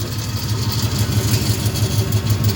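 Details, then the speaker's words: Old V8 idling with a lumpy pulse and a loose rattly buzz; exhaust leak on passenger side flange, owner suspects power steering; rattle at idle, source unconfirmed. "oh you hear it already you hurt that's the noise I'm trying to get fixed today"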